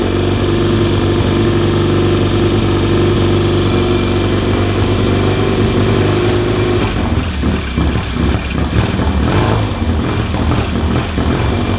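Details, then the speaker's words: 1970 Triumph T100C twin revived, just kick-started on one choke, cold: uneven fast-idle thumps that loosen as it warms; normal cold running needing warm-up. "It needs to warm up before it'll run. That's all right, I can do that."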